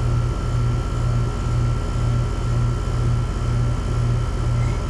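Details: Mobile home AC condenser after repair, 87-90°F indoors: steady low hum from compressor and fan, faint pulsing about twice a second and thin constant tone; running normally, pressures reflect hot house.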